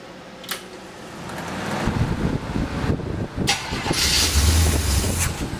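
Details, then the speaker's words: Cold start of a freshly built 283 V8 with a fan running: the starter cranks, then the engine catches and settles into a rough but steady low idle. It still needs tuning but seems to run okay. "still need to find tuning but it runs runs okay I think"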